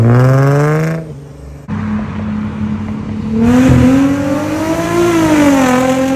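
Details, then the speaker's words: Infiniti G35 coupe after replacing flex pipes and Y-pipe to fix a bad exhaust leak that caught fire (small hole still unfixed): engine revs up and falls cleanly, deep even exhaust note, no ticking or puffing. Normal exhaust note. "all right we officially have the new pipe if it'll focus on the y-pipe this is what it told me should sound like yes oh my god it sounds so much better dude"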